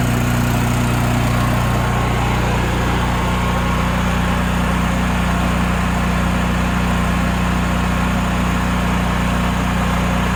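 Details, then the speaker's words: Honda generator after carburetor cleaning, gelled bad gas that plugged the jets removed, running off a jerry-rigged auxiliary fuel tank: constant, steady hum at fixed speed with no surging, hunting or stumbling; runs smoothly and evenly. "there we go stepping away from the motor because it's a little loud so hopefully you can hear me"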